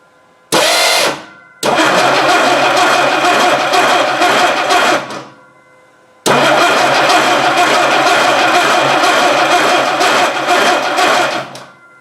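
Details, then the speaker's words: 1960 Dodge Dart Seneca stored over 10 years, newly installed engine, carburetor primed with fuel, no choke. The starter spins the engine briskly and evenly in two long bursts but it never fires. The distributor drive gear was missing. "well there's your problem there's no gear on there that's why she just spins"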